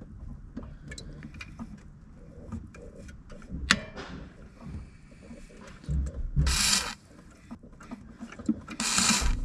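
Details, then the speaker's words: 2004 Subaru Legacy BP5 GT-B 5-speed manual: irregular dry creaks and rubs as the clutch is pumped, with spray hiss; owner suspects the release fork pivot or its spring, fixed by lithium grease spray there. "So I believe that this part right in there, you guys can see, yeah, right in there is where I'm guessing this creaking is coming from. Maybe this spring that's in there, I'm not too sure."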